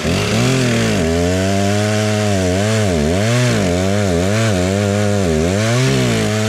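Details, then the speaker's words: Stihl 036 chainsaw after new piston and head, cutting wood: strong steady two-stroke buzz dipping and recovering under load, clean pickup, no knocks or misfires; healthy running under load. "alright that's running pretty well that's nice"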